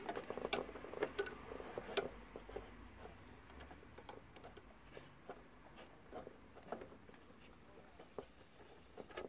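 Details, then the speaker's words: 1967 GE clock radio after solder joint touch-ups: faint, irregular scratchy ticking about twice a second as a moving part of the mechanism rubs against a nearby resistor, scoring lines into it. "they're not rubbing what it's doing is well they're not rubbing on each other but as soon as it's rubbing on that resistor there those lines scored into it"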